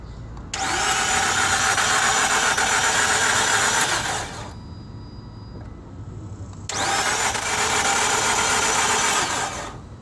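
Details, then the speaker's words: 2007 Nissan Altima that overheated on the highway (steering went stiff) and now won't start, battery tested good at 85%: two harsh high whirring bursts of about four seconds each, engine never catches; motor and radiator were later replaced. "here's the noise it's making when it tries to"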